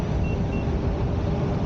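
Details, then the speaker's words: Sherman S electric unicycle on original firmware, first ride at speed: short high beeps about every quarter second over road rumble, the 70 percent PWM warning. "are those I think those are my 70 beef so I keep hearing I have to keep remember that um with the Shermans there's so much beeping going on"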